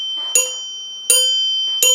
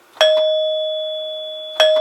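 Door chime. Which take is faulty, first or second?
first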